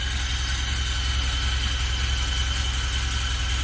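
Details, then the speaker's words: 1974 Alfa Romeo Spider Veloce, 10K original miles, after 30 years' storage and fuel pump repair, warming up without air cleaner: steady even low thump at idle with faint constant high tone; fuel pump good; normal idle. "It's idling pretty nicely. Check for leaks before. Fuel pump is good. It's idling."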